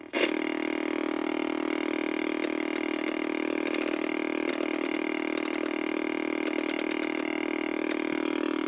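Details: 1964 Sony 9-304U portable solid-state TV with raster but no video: a constant mid-pitch buzz with irregular bursts of sharp ticks while the vertical and horizontal hold controls are adjusted; the cause was an open video detector diode.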